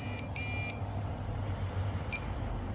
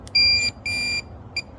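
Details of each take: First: We heard the third beep, but it was on this metal. And what's happening is when you first turn it on, it's doing a ground balance. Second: Minelab Pro-Find 40 pinpointer switched on in open air: two longer high beeps, then a short quick third beep, sometimes a few seconds later; normal startup sequence, ready to detect.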